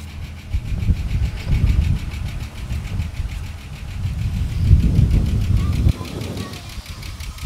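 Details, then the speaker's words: Ford EL Falcon Futura, off the road a few years, just started after several attempts: uneven idle with light tick over it; owner unsure whether lifter tap or a bad pulley bearing, engine ticking at idle. "all right so as you can hear that noise I'm not too sure if that's a like a tap it lifter type noise or whether there's a bearing in one of these pulley that um that's no good"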